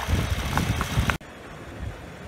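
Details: 2011 BMW 535i idling after water pump and thermostat replacement and about 5 minutes of air bleeding: smooth, even low idle with a steady rumble and no knocks or misses before cutting off; runs perfect next day.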